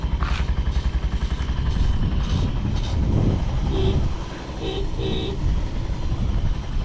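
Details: Vintage Honda Jorcub scooter (AF53-1000) running check, engine free of abnormal noise and quiet; even low putter rising and falling smoothly with throttle, no ticking or grinding, healthy.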